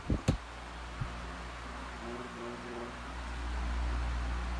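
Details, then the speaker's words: Freshly cleaned Duracraft pedestal fan on high speed: switch clicks, then a soft, even whoosh of moving air with a low hum, no rattle or scrape; normal running on high. "on high feel it makes a little bit of noise like a from the fan movement moving a lot of good amount of air but the other ones is Extremely Loud"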